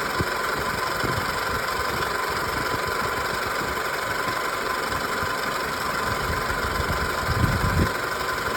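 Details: 2000 Toyota Camry petrol engine idling: steady high squeak only when the original AC compressor is engaged, AC otherwise working and blowing cold; cause unknown.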